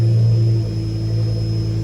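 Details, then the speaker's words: Tuned BMW M5 S85 after lightweight TTV flywheel and Sachs clutch install and adaptations, check engine light on: deep steady start-up drone with faint constant whir; sounds like secondary air pump, but unconfirmed as the tune should disable it. "Because the tumbler has a tune, so that should not be secondary air, even though it kind of sounded like it, but let's see how fast it revs."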